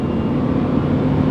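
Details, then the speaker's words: Honda Element on the freeway at 40–75 mph, AC off, heard inside the cabin. Steady loud roar and rushing hiss with no engine tone standing out. Worn door weather stripping is letting in road noise; later replaced. "And yep. Definitely road noise that we need to repair."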